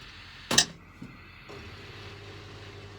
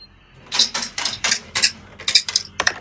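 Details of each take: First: Large washing machine on quick spin after clearing the blocked drain pump: a couple of clicks, then a faint steady low hum with no rattle; quiet, normal spin after repair. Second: Large washing machine on quick spin, drain pump: irregular sharp clattering bursts about one a second; a bolt stuck inside the pump rattling against the spinning impeller, likely from a pocket.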